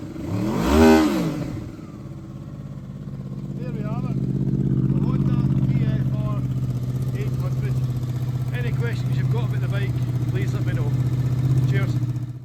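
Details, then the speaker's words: 2007 Honda VFR800, 36,000 miles, upgraded exhaust: one sharp rev that drops back quickly, then a deep, steady idle with a throaty exhaust note; engine sounds healthy. "And I'll give it a few revs so you can hear how she sounds."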